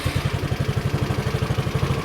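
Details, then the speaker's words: SYM Allo 125 moped bought with electrical faults, started after charging the dead battery from 5 V to about 12.5 V, fairings off: even putt-putt at about nine beats a second, no knock or misses, a healthy normal idle. "okay so we've got about twelve point five volts now and that seems to be enough to start the engine"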